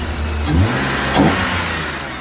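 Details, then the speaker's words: BMW E36 after replacing every possible sensor (spark plugs, new solenoid and spring): two quick throttle blips rise and fall cleanly from a smooth idle without stumbling; far more responsive than before. "Just literally replaced every sensor that I could on here. And yeah, it's it's running really good."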